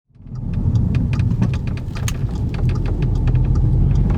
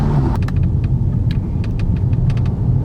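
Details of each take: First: Audi 8V S3 driving: sharp uneven metallic ticks over heavy road rumble from the closed sunroof rattling against its frame. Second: Audi 8V S3 driving with the sunroof closed after the sunroof rattle fix (two screws): only a steady low road rumble and a few faint ticks, no roof rattle; the cabin is quiet.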